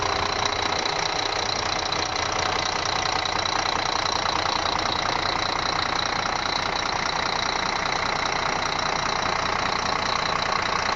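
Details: Scania D12 truck diesel at idle on its first start after an engine rebuild: even clatter ticking about two and a half times a second, steady and regular. Healthy.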